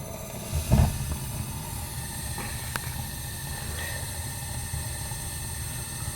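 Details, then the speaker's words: New gas boiler with three circulator zones, all thermostats calling, gas valve on, first firing: soft whoomp as the burner lights, then a steady low even roar with no popping or rumble; normal burner ignition. "Houston, we have ignition."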